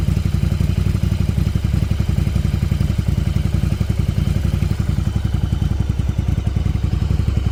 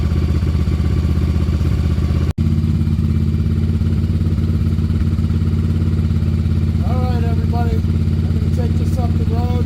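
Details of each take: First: 1994 Yamaha Virago 750 chopper V-twin after fixing an intake vacuum leak: low, even thumping, settled idle around 1,000 rpm with no hunting or surging; normal idle. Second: 1994 Yamaha Virago 750 chopper V-twin, warmed up: steady fast drone, idle climbing to around 3,000 rpm after a few minutes running instead of settling; high idle.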